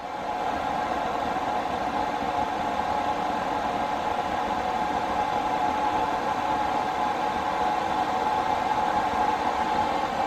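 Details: Newly installed diesel heater in a skoolie school bus conversion, spinning up to full fan with an even rushing roar and steady mid-pitched whine, then holding smoothly; described as going faster like a jet about to take off; normal running.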